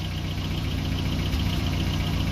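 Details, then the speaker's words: Toyota pickup with 22R-E engine, newly swapped 1993 ECU, distributor timing not yet set: low lumpy idle with occasional soft pops into exhaust and shaking; slight miss, owner suspects timing. Cause suspected, not confirmed. "so you can still hear that pop into the exhaust well there it goes"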